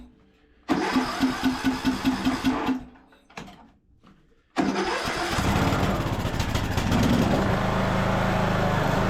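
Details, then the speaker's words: Craftsman LT2000 riding mower, restarted after running on fresh gas, air box and air filter on: short cranking bursts, a pause, then it fires promptly and settles into a steady, even run. Starts easily and sounds good. "and yeah, so far sounds good. Engine sounds good."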